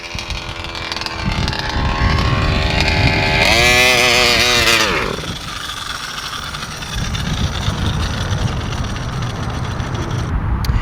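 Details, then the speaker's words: Walbro 1107-carbureted two-stroke VEKTA.5 RC car, not run for months, new spark plug and carb reset to factory settings: buzzes high, then sags and quits as the high-end needle kicks in; sounds flooded though owner checked it isn't; bogs and stalls at high rpm. "The high end, once the high end needle kicks in, that's when it sounds like it flooded, and it just shuts the engine off."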